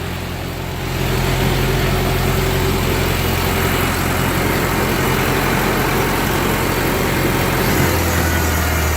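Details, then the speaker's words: 1945 Ford 2N loader tractor after loader repairs and hydraulic fluid topped up: steady low idle with even pulse, no whine or groaning as the loader cycles up and down, instant response; normal loader hydraulics. "Yeah. Instant response. That's good."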